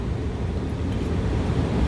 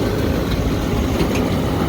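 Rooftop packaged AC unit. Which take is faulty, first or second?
second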